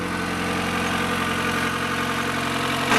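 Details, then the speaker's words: Vehicle started at about 3°C in damp weather after three weeks to a month unused: steady even idle sitting slightly high, dropping as it warms; high idle when cold. "le ralenti un peu haut mais là ça fait trois semaines un mois qu'elle n'a pas démarré le temps est super humide"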